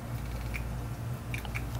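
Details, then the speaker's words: Hard drive powered up after center hub loosened and platter barely rotated: steady low spindle hum with sharp irregular clicks; platter misalignment stops the drive from reading, heads untouched. "actually hear it clicking so nothing was done to affect the heads nothing was done to do anything with the drive all we did was essentially loosen up the center Hub barely rotate the platter at all and that was all it took"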